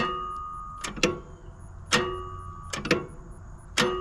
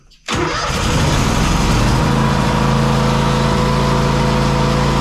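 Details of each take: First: Zero-turn lawnmower that cut off after five minutes: turning the key gives sharp clicks with no cranking, and the starter eventually had to be replaced. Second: Zero-turn mower after a new starter was installed to cure click-no-crank: the starter spins briefly and the engine catches within a second, settling into a steady, even run with no stumbling or grinding, a healthy start.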